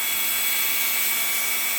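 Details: 3018 CNC upgraded brushed spindle motor, bearings freshly oiled, soft-started at 50% speed: smooth, steady high whir with even pitch and no knocks or roughness; running normally.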